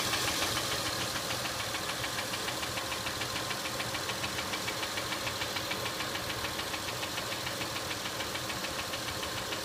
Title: acura mdx engine ticking noise sounds